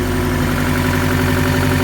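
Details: Steady, even low idle with a regular firing beat and no knocking or tapping after a first engine rebuild that failed and knocked at 75 miles, now rebuilt again; first start after reinstall, oil pressure present, some oil smoke; sounds healthy.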